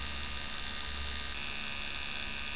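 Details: 1984 D.C. Johnson FAC-1 lambda control unit for K-Jetronic (CIS) injection: even electrical buzz at a fixed pulse rate from the bypass frequency valve in open-loop mode (full-throttle/cold-start input grounded); normal.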